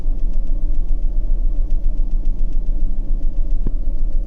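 Steady, even tick-over with a deep low rumble and no knocking or misfire; engine idling healthily near operating temperature.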